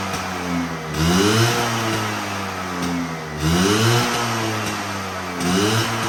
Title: My Vespa V9B1T 100 after rebuild the carburetor…